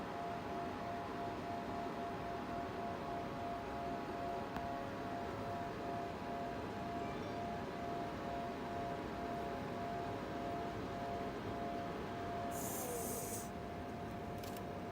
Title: Cooler Master MASTERLIQUID ML240L RGB Loud Noise